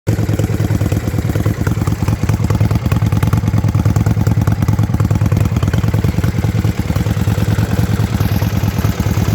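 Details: Yamaha Virago XV535 misfiring at idle, lumpy uneven beat with irregular low thuds about three per second; one spark plug heavily carboned, owner suspects carburetor tuning, unconfirmed.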